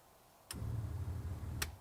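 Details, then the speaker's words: 1962 Piper Comanche 250 that sat for years in a dirt-floored hangar: electric fuel pump switched on, giving steady quick clicking over a low hum as it primes and fuel pressure rises on the gauge; sounds healthy, normal fuel pump ticking. "Yeah, it sounds healthy too. Yeah, clicking away. Almost sounds like it's still got prime."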